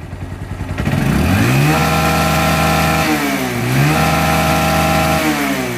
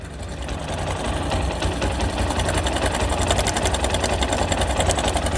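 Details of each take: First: Old Bajaj Discover 135 motorcycle after fixing engine tick and rattle sound: clean single-cylinder note climbs smoothly on two quick blips and drops to an even idle, no ticking or rattle; healthy. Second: Old Bajaj Discover 135 single idling with a fast light tick over a whirring hum; ticking comes from the engine, cause not pinned down.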